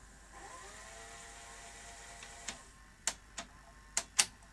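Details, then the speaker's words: Sony Betamax SL-T30ME front loader after retiming loading rack to pinch roller: soft motor whir rising as tape loads and laces, then crisp mechanism clicks; normal tape loading. "okay i think we have this working now let's uh load the tape then it laces up and i can operate the deck"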